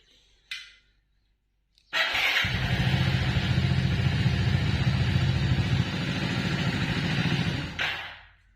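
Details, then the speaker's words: 2021 Hero Splendor+ BS6, morning cold start: one kick catches and it idles evenly for about six seconds, then stalls on its own with no rider input. "यह क्या हुआ एक ही बार में automatic बंद हो गई गा ऑटोमेटिक मैंने कुछ नहीं किया"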